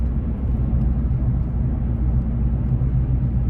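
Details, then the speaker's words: 2015 Nissan Frontier at about 41–42 mph on a smooth road: low-frequency warbling drone over road rumble that stops when steering slightly right; a front wheel bearing going out. "can you hear that there's a change and I'll slightly turn to the to the right and the noise stops that's a perfect indicator there's a wheel bearing going out it's kind of a a low frequency warble sound"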